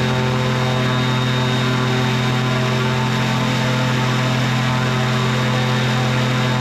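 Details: Microlight two-stroke with three-bladed prop, propped up at full throttle blowing boxes: strong steady high-rev drone with propeller thrum at even pitch; held its RPM, healthy with serious power.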